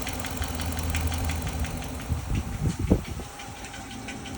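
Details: Dodge Charger 5.7 Hemi V8 idling with a loose, uneven ticking or knocking over the engine note. Live data shows no misfires; the cause is not yet pinned down.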